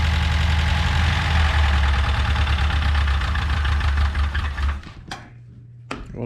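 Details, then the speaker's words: Subaru BRAT engine first fired up without throttle, throttle cable missing, vacuum ports being plugged: uneven, lumpy running at about three to four pulses a second before shutting off; rough running, vacuum leaks suspected, engine condition unknown. "don't sound very healthy but we'll tune on it probably still got some vacuum leaks"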